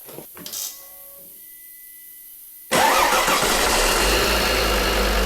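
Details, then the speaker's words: Volvo V70 D3 diesel at 617,000 km after replacing the seized alternator freewheel clutch that had broken the serpentine belt: it fires and settles into a steady, even idle with no freewheel rattle. "Siinähän se nyt rallattaa, mutta nyt ei kuulu sitä semmosta semmosta vapaakytkimen rallitusta. Vielä pyörii. Hyvin pyörii."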